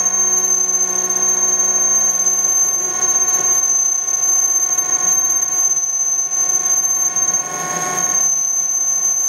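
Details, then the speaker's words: Denford ORAC CNC lathe turning a 20 mm radius end on a 40 mm 6082-T6 aluminium bar. Steady high-pitched whine with a rough, buzzy growl underneath as the axes step through the radius cut: normal stepper drive noise. "you can see the ball shape appearing there's no cutting the radius you'll hear the step is growling a bit"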